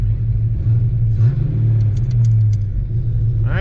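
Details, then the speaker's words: Ford Fox Body Mustang budget build after fixing a blower-like squeal from the back of the motor near the bellhousing (not the belt): engine starts and runs with a steady, even low rumble, the squeal gone; normal running. "whoo she's back oh this is back feels good hey the blower noise is gone again"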